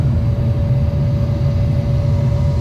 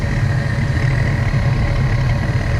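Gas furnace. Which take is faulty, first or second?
second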